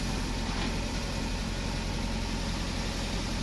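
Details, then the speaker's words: Nissan Sentra petrol engine, recently rebuilt cylinder head, code P0300 random misfire, throttle body issue when hot: idling with a busy, rattly clatter over the hum, mechanic says the timing chain is audible. "miren ya se apagó el que se escucha la cadena señores"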